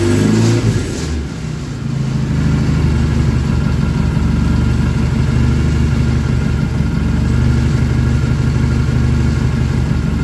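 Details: BSA engine freshly rebuilt, first start: brief rev then settled even low idle burble, no tapping or rattles; good oil return flow, oil-pressure light out, charging shown. Normal idle.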